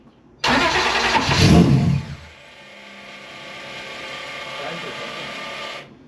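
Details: Starting attempt after the intake manifold exploded and was reprinted, fuel pump on: starter churns loudly about a second and a half with a few ragged catches, then drops back without the engine picking up; cranks with brief firing, no start.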